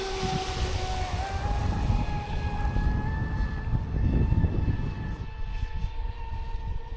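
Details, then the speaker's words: Traxxas Spartan SR 6S RC boat after repair, running on water: steady electric whine at one pitch over water splash, the earlier crackling noise gone; normal running. "Ouais, au moins, il y a plus le bruit de craque crac."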